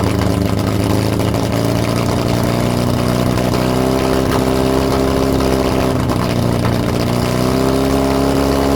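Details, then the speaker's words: Lotus Europa Twin Cam, 123 Ignition distributor, Stromberg carbs, after distributor adjustment: ragged, uneven beat with wandering revs and coughs and sputters through the intake. Rough running; carbs spitting back less than before; timing and valve clearances suspected. "The carb was not spitting. No, not as much. Yeah. I mean, some, yeah. It sounded better than last time."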